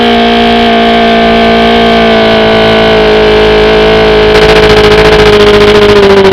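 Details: OMC 125 hp outboard on a dyno after replacing the bad VRO fuel pump: steady two-stroke buzz at even pitch, easing slightly at the end, no stumbling or surging; runs well without pumping the primer ball, fuel delivery fixed.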